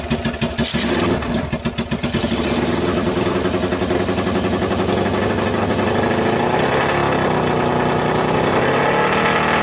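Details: 2012 Kawasaki Ninja basket case on a single Keihin PZ30 clone carb, homemade copper intake manifold and ATV thumb throttle, choke on; catches, rough idle, revs lag on throttle instead of responding instantly.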